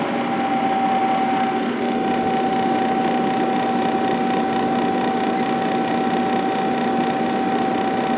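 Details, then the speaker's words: 1997 Sharp 8500 BTU window air conditioner on high fan speed after building pressure. A steady even hum with two clean tones and no rattle, the fan motor and compressor running normally. "I love the way these air conditioners sound. Fan motor sounds good. Pressure sounds good."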